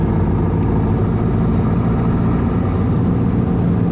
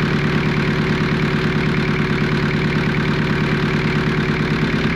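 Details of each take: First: Jeep XJ 2.5 turbo-diesel after fitting a fully mechanical injection pump with 11mm plunger (replacing 10mm), fuel screw adjusted, on test drive: steady, even low diesel drone, no knocks, misses or surging; engine runs smoothly. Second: Jeep XJ 2.5 turbo diesel with mechanical injection pump, just started and pump indexed: diesel clatters at a fast, steady, even idle; idling high, fuel screw needs winding back.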